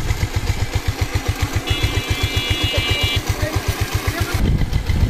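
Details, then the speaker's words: Bajaj Pulsar after full engine setting and master servicing with tappets repaired: even, steady thumping idle, then a smooth throttle blip, no knocking or clatter; engine runs well. "গাড়ি কিন্তু sound খুব সুন্দর আছে।"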